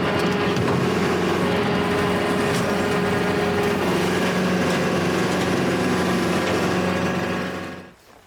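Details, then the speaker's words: County Line brush hog mowing roughly four-foot-high grass, refurbished but bearings never replaced: steady cutter drone with a rough, gravelly whir under load; worn bearings growling. "we didn't do the bearings you guys can hear the bearings they've they've seen better days"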